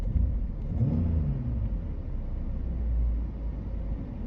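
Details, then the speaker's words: Petrol engine idling smoothly around 1,000 rpm with a steady low rumble and no stumble, after a cylinder 3 misfire was cleared (suspected coil or spark plug) and the code erased; normal idle. "And yeah, she seems quite happy. I don't know why it always does that, how it hovers around the 1K mark."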